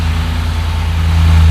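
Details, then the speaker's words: LS-swapped 1984 Bronco II with Holley EFI, started after sitting four to five days: starts instantly with a deep, even V8 burble, steady low pulse and no misses or knocks; smooth, consistent idle. "brand new Chevy Silverado just starts right up there's no cranking there's nothing it just pops right off runs super smooth once it warms up"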